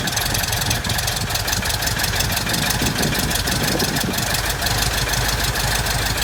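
Steady, evenly spaced popping beat from an air-cooled engine ticking over smoothly at low revs; a healthy idle.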